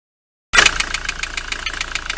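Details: Ford Transit van idling with a sharp, regular knock of about seven beats a second, unchanged with the serpentine belt removed.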